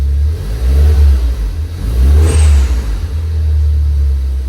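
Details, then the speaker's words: Ford Focus ST-3, crash-damaged repairable salvage car under repair, throttle blipped: deep, smooth exhaust note swelling and falling with each blip, clean and even; healthy engine, sound exhaust. "Oh yeah. Wow, that sounds lovely. Really nice."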